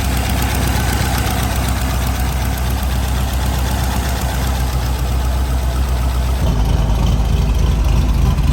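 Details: C5 Corvette LS with newly installed 243/LS6 heads and Track Weapon cam (220/232, 110 LSA), first start: fast clatter over idle, about four taps a second, from pushrods too short, leaving excess valve lash.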